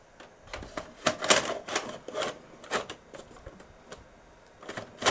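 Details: Toshiba RDXV50KF DVD/VCR/hard-disk combo, VHS deck after brushing out dust: irregular clicks and light clatters in short bursts as the tape mechanism keeps cycling without loading the cassette; problem persists, slightly better after several insertions, cause not found.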